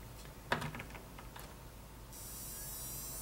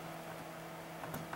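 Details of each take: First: Fluke PM6680B 225 MHz frequency counter that won't power on, with the standby LED dimly lit. Its flyback switching power supply transformer gives a steady, growing high-pitched squeal. The fault was traced to a bad precision reference IC, which was replaced. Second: Fluke PM6680B frequency counter after replacing its failed precision reference IC in the flyback switching power supply: only a low steady hum, the earlier high-frequency squeal gone, running quietly.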